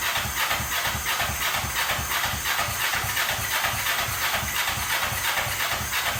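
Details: 2003 Kawasaki Ninja 500R twin swapped into mini bike frame, just retimed, dual carbs, freshly started on chokes: loping uneven beat around three per second under hissy wash; revs fine but idle set too low.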